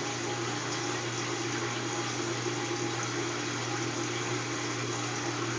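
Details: Kenmore top-load washer draining as it heads into spin: steady low pump hum under a constant rush of water. Drain is normal. Owner notes the motor runs but the drum won't spin until the lid is lifted and closed.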